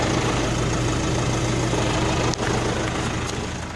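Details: Nissan NP300 diesel idling: uneven lumpy beat about three pulses a second that never settles; rough idle.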